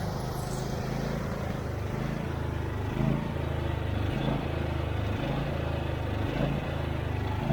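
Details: Husqvarna YTH24V48 twin-cylinder riding mower with a no-start history, running on a temporary fuel line to test the fuel pump, started on choke: a steady, low putter with a gentle pulse about once a second, running normally.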